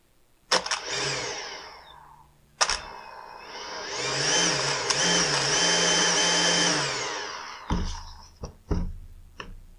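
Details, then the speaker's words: Husqvarna T536LiXP battery-powered chainsaw with the customer's complaint of erratic running: the motor jumps on and off in short bursts and its pitch wobbles, so it will not hold a steady speed; cause not yet found before the saw is opened. "the customer complaint was that it ran erratically and I would have to agree with him on that"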